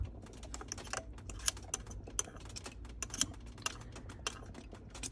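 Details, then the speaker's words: Ferrari 360 Modena coolant bleeding after breakdown, engine off following warm-up with heater on full: irregular spitting, crackling pops as trapped air sputters from the bleeder valve, loosened with a 10 mm, before coolant flows. "A little more air coming out. You can hear it sputtering."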